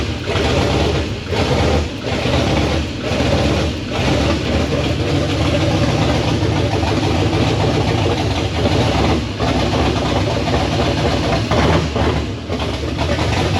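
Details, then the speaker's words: LS V8 with open headers started after the old tune was deleted, running with no tune and bad injector data: loud stumbling, surging idle with dropouts, misfiring on several cylinders; needs tuning. "Oh my god, it started though. Oh, it started, but it sounds like crap. We gotta tune it."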